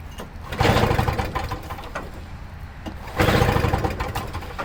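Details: Toro Snow Commander two-stroke snow thrower, carburetor primed with two-stroke mix: two hard recoil pulls give brief chuffing bursts but it never catches; cranks, won't start, dirty carburetor suspected.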